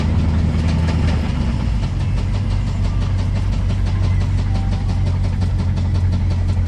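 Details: 1985 Chevy Silverado driving with a steady, fast ticking knock over the low engine drone; an engine knock from the bottom end or valvetrain.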